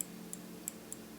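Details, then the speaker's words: 2013 Mazda6 hood latch switch after bending the switch arm to touch the latch armature: a few faint light ticks in a quiet room as the latch closes, marking where the switch now makes contact properly. "okay and if you listen carefully that's the point at which it makes contact"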